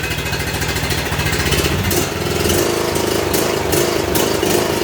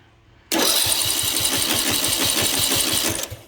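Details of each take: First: John Deere D110 Briggs & Stratton mower after repair for no-start with no compression, running at full throttle; steady even drone, governor holding speed, no hunting, smoking or surging; normal running at full throttle. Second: John Deere D110 lawn tractor, Briggs & Stratton engine, good battery, spark and fuel present, cranking during a compression test; starter spins the engine fast and perfectly evenly with no compression strokes and no firing: no compression, cause not yet found.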